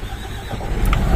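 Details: MAN diesel dump truck that wouldn't start, after repairing cut wiring and fitting a replacement battery: starter cranks, diesel catches and builds to a steady low rumble, revved right after start; check engine light on; starts normally.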